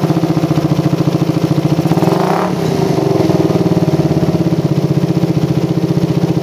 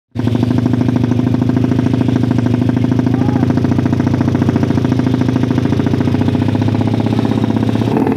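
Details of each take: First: Motorcycle with PWK carburetor and racing exhaust, after air screw reset to about 2.5–3 turns: quick, even exhaust pulses with a steady idle, and a light throttle blip picks up cleanly; helicopter stutter gone, normal idle. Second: Motorcycle with PWK carburetor: loud, rapid, choppy helicopter-like flutter at low-mid revs; stutter from a carb setting with a jet needle too thin, making the mixture too rich.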